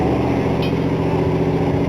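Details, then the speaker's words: 1960 Cadillac V8 idling steadily on its own with a low, even rumble and no misses, after brake work and a new ignition key; it was primed and nearly out of gas. Normal idle. "had just enough gas to do it so is it uh just sitting there idling on its own there yeah"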